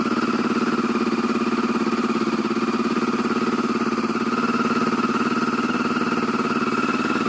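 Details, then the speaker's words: 2007 Yamaha Phazer snowmobile cold start at about -30°C testing cold-start ECU: fires up and settles into a steady, even buzzing idle with no misses or stumbles; cold start working fine. "okay we're gonna try to start the phaser in some colder weather it's about minus uh just about minus 30 celsius right now we'll see how the cold start ecu does when it's really gold"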